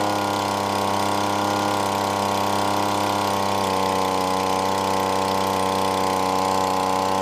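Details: Yard-sale gas leaf blower two-stroke being converted to a prospecting vacuum, carburetor mixture screw turned clockwise in quarter turns: steady buzzy drone with slight choppiness; runs but not quite smoothly during adjustment.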